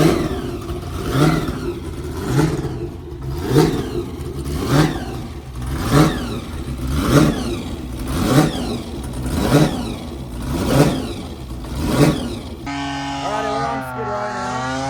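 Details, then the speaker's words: Blown V8 burnout car "Shut Up" at Northern Nats in Cairns, test run before competition checking for oil leaks: deep engine blipped about once a second, rising and falling cleanly with no misfire or clatter; no oil leaks, runs healthy. "Just testing it, make sure it's not going to have any oil leaks, make sure it's going to be mint for tonight."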